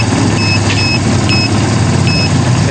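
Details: Kawasaki Barako that would not start, with its drained battery charged, after fitting a new regulator and spark plug and adjusting choke and idle: loud, steady single-cylinder putter at an even idle without stumbling. A faulty regulator, bad plug and dirty carburetor were found.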